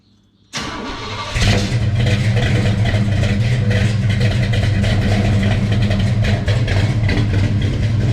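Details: Chevy Bel Air big-block V8, started after its fuel lines were fixed: a short crank, then the engine catches and settles into a strong, even fast idle with no stumble or misfire. Normal cold start.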